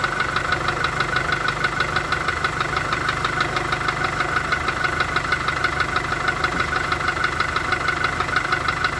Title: Гольф 4 1.4 16v стук в двигателе, фольксваген.